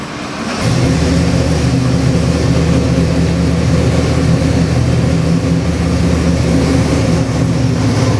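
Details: Custom Ford 347 stroker, 302-based, with Holley Sniper EFI and a March pulley kit, running on the dyno before going into an '88 Toyota pickup: it catches and settles into a strong, even V8 beat with no knocks or ticks. Normal running.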